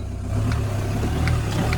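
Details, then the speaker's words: 2010 used auction car, mileage 129, at first start-up: smooth, even low engine hum with a slight rev rise and no knocks or rattles. Sounds healthy, though coolant was found leaking afterward. "Good news, good news. Sounds all alright. No rattles."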